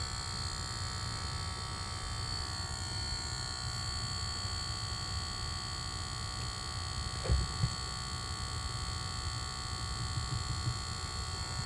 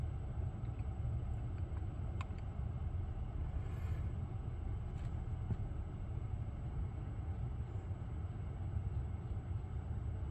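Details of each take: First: Lucid device with a constant thin high electrical buzz, steady throughout; not cleared by switching profiles or one reset, stopped after a logo reset, cause unknown. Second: Lucid electric car after a logo reset cleared a buzzing noise that switching profiles didn't fix, cause unknown: only steady low road rumble while driving, no buzz or whine; car sounds quiet and healthy.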